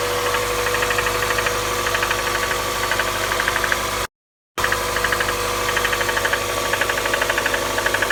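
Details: 1998 1.8 engine at steady idle: sharp fairly even ticking knock about three times a second; internal engine knock.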